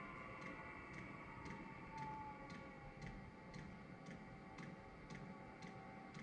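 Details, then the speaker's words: Rebuilt Eberspacher Hydronic D5WSC diesel heater during its diagnostic initial start after bleeding the fuel: the motor kicks in and the metering pump gives crisp, even ticks about twice a second over a soft fan hum, pumping normally. "Okay, you heard the motor just kick in. Metering pump is now working."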